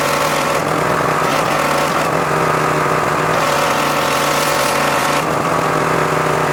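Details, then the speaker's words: John Deere X540 mower that came in crank-no-start with no spark, idle about a year; both coils found dead, failed module swapped. Steady two-cylinder drone at constant pitch, no misses or knocks: normal running after repair. "So found out the module failed and swapped it out, and next thing you know, it runs."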